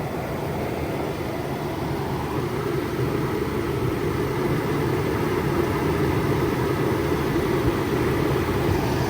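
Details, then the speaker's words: Toyota 4Runner after about 4.5 hours of maintenance including new Denso plugs, coil packs and refitted belt, idling with heater on to warm up and bleed coolant until the thermostat opens: smooth even idle, steady hum, no knocks, ticks or belt squeal; normal. "Started right up. Yep."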